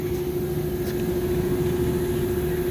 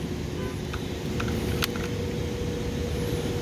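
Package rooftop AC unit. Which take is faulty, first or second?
first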